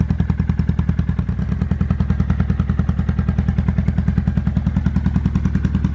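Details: 2005 Kawasaki Vulcan 800 V-twin in a quick startup before sale: deep, even low thumping at a steady idle with no knocks or rattles. Normal, healthy idle.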